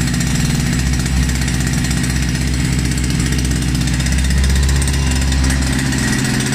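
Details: Russian URAL MASH 5.7 hp brush cutter, new, during first run and break-in: small two-stroke drones steadily with a deep, even chug, no knocks or surging; runs smoothly, normal running.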